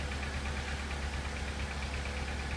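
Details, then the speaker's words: 2002 VW Polo 1.4, engine light flashing, P0304 misfire on cylinder 4 traced to a bad coil pack: low, lumpy idle with an uneven stumble under the drone, misfire from number 4 audible; misfire at idle. "You can hear the misfire from number 4."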